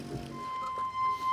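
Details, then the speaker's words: Old church harmonium awaiting restoration, one note completely mute: a thin, wavering single note with breathy wheeze and uneven swells; the reed sounds weak and poorly voiced, cause unclear. "Oh, it's trying. The poor figure sounds a bit poorly. Pretty sure it's not supposed to sound like that again."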